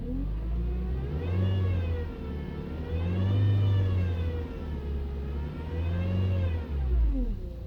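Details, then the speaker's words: 2011 Honda Accord: high whine rising and falling with engine speed over the engine hum, heard when turning and driving; power steering inlet hose O-ring leaking and fluid low; fixed by replacing the O-ring and purging air. "this is the sound your car makes when you have a bad odor ring for the power steering and lit hose you'll hear it when you turn when you're just driving"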